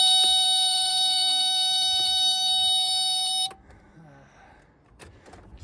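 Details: 1993 Bayliner Capri 2050 with 4.3 LX engine, bought unrun, key turned on: steady high buzzing tone for about three and a half seconds then cuts off cleanly; key-on warning horn works, power present.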